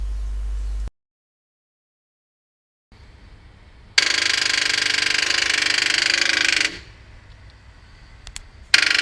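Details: 2013 automatic car with its original, never-replaced, worn-out battery: three bursts of fast, harsh starter chatter like a hammer drill, as the weak battery cannot turn the engine over.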